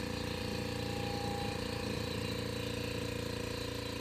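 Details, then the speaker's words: On-board air compressor (100% duty cycle at 100 PSI) for an off-road Ford F-150, drawing about 23 A: steady low thumping pump beat about 3.5 strokes a second, sluggish and weak; owner suspects it needs more voltage. "So this, that's okay. Sounds a little weak though. Maybe I need to get some extra voltage here."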